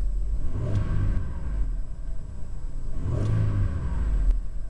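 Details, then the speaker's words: Mazda MPV before restoration: two throttle blips rise and fall cleanly over a deep, steady rumble with no knocks or rattles. The owner says it runs well; healthy engine revving. "What else? It runs well. I don't know if you can hear it."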